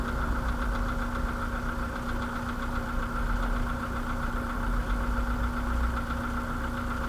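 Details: 2013 VW Polo sedan, CFNA engine, 192,000 km, at idle: a dull, regular knock rides on the engine note at firing rhythm. Piston slap.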